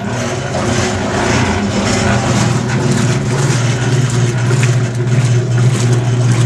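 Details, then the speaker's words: Maytag E2L wringer washer, just fitted with a new motor cord: steady low motor hum with loose rhythmic churning about twice a second while the agitator runs; mechanism noise, owner thinks it needs fresh oil or grease. "getting a little bit of noise from the mechanism I'd like to put some fresh oil or grease in it but I'm not sure how to go about putting the grease"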